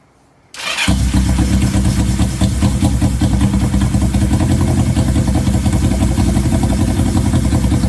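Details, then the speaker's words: 1970 Honda CL350 after sitting 42 years, started on choke; idle had been hanging (vacuum leak or sticking throttle cable suspected). It now settles into a steady, even idle with no misses or knocks, running good. "oh it's running good"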